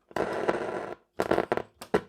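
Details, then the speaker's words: Telefunken Opus 8 tube radio drawing 250 mA before restoration. Scratchy crackle cuts in and out in bursts over the audio, caused by very dirty band switch contacts. "these switches are dirty [Music] the volume down these switches are really really bad"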